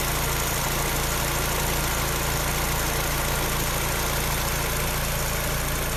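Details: Peugeot 308 at steady idle with a fast, light clacking over the engine note, about three to four a second; the owner cannot tell what causes it.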